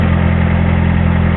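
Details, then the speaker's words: 1984 Honda Accord with straight-pipe exhaust, idling: loud fast even clatter/knocking over heavy shaking idle, engine vibrating; owner suspects bad timing, unconfirmed. "i'm gonna see if you guys can hear this i'm pretty sure you can hear all that knocking and my engines vibrating"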